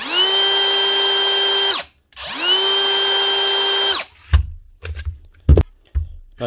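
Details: Dewalt cordless tool after its dirty switch was flushed with contact cleaner and blown dry with a compressor: motor spins up cleanly to a steady high whine twice, stops crisply, then handling clatter; runs normally.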